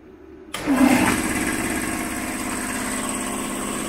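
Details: Air compressor starting on a Vevor 5500W (EM 5500-48L) inverter from battery, on top of a 1.7 kW base load: sharp start, then a steady, even drone without bogging or stalling; the inverter copes.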